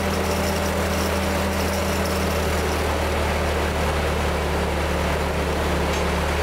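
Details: 1946 Ford 2N tractor flathead four after head gasket replacement: smooth steady low drone with constant even beat, no knocks or misses; running healthy.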